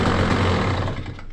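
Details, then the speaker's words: KTM SX 85 two-stroke, just bought after standing very long, revved after carburettor cleaning and fuel change: loud raspy blip dropping away cleanly with no stumble or bog; now picks up revs immediately, a big difference from before. "dobra Myślę że powinno być git bo jest duża różnica"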